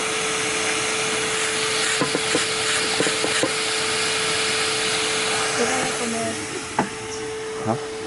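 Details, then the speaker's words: 2005 Toyota Corolla S cracked exhaust manifold leaking in several places, confirmed by bubbles from a leak spray; a steady airy hiss with a faint constant tone comes from the leak, and the manifold is to be replaced. "yeah you can also hear it hissing as well um and so yeah that's why we're going to replace that"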